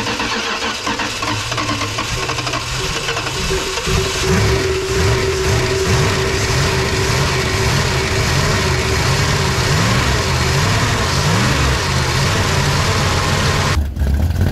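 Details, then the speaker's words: 1965 Plymouth Fury wagon with a cam and Holley carb, sitting about 20 years, first start after purging old fuel; low lumpy irregular throb, rough running, one side of carb dry, suspected stuck float. "Got a cam in it too. Thing sounds gnarly. Quiet though."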